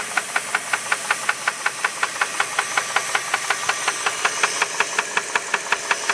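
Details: 2001 Jeep Grand Cherokee 4.7 V8 at idle: sharp even knocks about 160 a minute over a quiet idle; owner suspects rod knock, unconfirmed.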